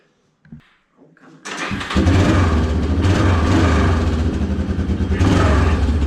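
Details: Old Yamaha Big Bear 350 ATV after front brake work: a few soft cranks, then it catches and settles into a steady, even idle; healthy start and run.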